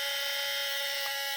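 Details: Powered-on Sony A7 III camera body gives a loud, steady, high-pitched electric buzz with a faint creak, and it drains the battery quickly; fault is in the in-body image stabilizer (IBIS).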